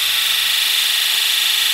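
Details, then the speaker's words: Ford 7.3L Powerstroke, key on engine off, injector electrical self-test run from a Launch X431 scan tool on eight recently overhauled injectors: steady even high-pitched buzz for nearly two seconds then clean cutoff, no DTCs; normal injector buzz test. "again no DTC's so it doesn't detect any problems"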